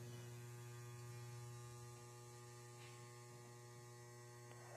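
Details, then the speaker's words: DIY 120 V one-to-one isolation transformer on a variac: at about 112 V the input draws about 2 A and it hums, a loud steady low buzz with a gritty edge; owner suspects core saturation and may add windings. "Once we get up to about 100 some volts, 112, it's like 2 amps. It's really starting to hum."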